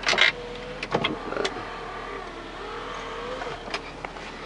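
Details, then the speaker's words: 1997 MGF 1.8 roadster, engine idling, with the driver's electric window operating: a thin, steady motor whine with light squeaky edges. The regulator sounds dry, and WD40 is suggested as a possible fix, not confirmed. "Driver's electric window operation. Oh, that sounds like a little bit squeaky. Perhaps a WD40."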